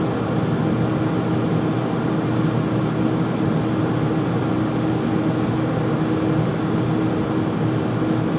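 Loud, steady roar with a faint constant mid-pitched tone, unchanging throughout; the furnace runs noisily, cause not clear.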